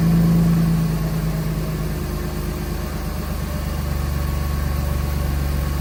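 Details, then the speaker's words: Mercedes M104 six-cylinder just after replacing misfiring ignition coils with updated coils (part A000-158-70-03), covers temporarily set back in place; smooth even low idle with steady beat, no skips or stumbles; misfire gone, normal idle after repair. "Perfect. All right. Running nice, smooth. No misfires coming out the back end."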